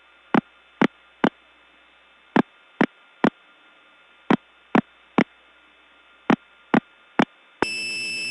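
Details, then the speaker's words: Early-1979 Gainesville, GA step tandem mapping, test code 106: groups of three short beeps about every two seconds, then a harsh steady tone; unidentified and broken, hard to get off of. "I'm actually not sure what this is but it certainly is something that's broken"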